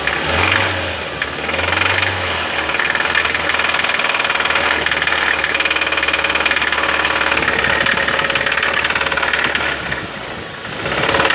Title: How to diagnose ticking noise in Engine